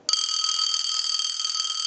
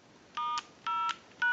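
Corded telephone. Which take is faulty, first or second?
first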